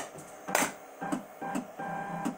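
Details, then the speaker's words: DIY CNC EDM machine cutting in tap water dielectric, electrode motor not turning, CNC struggling to maintain gap distance; irregular crackling bursts about every half second with quiet gaps; owner suspects too much capacitance causing big, infrequent bangs; unstable intermittent sparking. "the C&C it's not easy something tells me that we're gonna have to change this a little bit I think I've got too much capacitance it's causing too big of a bang and not often"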